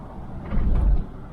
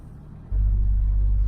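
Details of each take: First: 2004 Chevrolet Trailblazer, $500 flip with check engine light on, driving over railroad tracks: one dull, heavy thump, a banging from the left front; the owner says not the hub, possibly the strut, unconfirmed; silent on normal road. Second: 2004 Chevrolet Trailblazer on a normal-road test drive: brief low engine surge, then even road rumble with no hum, growl or grinding from the wheel; the front hub is quiet, and the clunk appears only over bumps.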